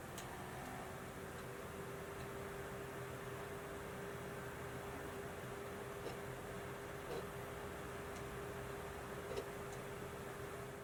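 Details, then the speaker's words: Modified 60GB PS3 retrofitted with a 19-blade fan instead of the standard 15-blade, plus an updated power supply; quiet, steady fan hiss with faint hum and periodic soft ticks from the disc drive reading. Disc drive and fan noise. "now that we're back to the ps3 you're seeing disc operation happening periodically and that can get very noisy"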